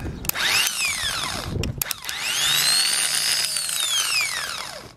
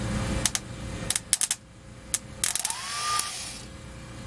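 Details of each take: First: New replacement starter for a 2006 Ford E-450 Super Duty 6.0 V8 diesel, bench-tested. A clean whine rises, holds steady, then winds down evenly with no grinding; sounds better than the failed unit. Normal starter spin. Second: 2006 Ford E-450 Super Duty, 6.0 V8 diesel, starter that was cranked until it burned out, jumped with thin-gauge wire. A few sharp clicks, then a brief whine as the starter free-spins without shooting out; possibly not enough current. Starter spins without engaging.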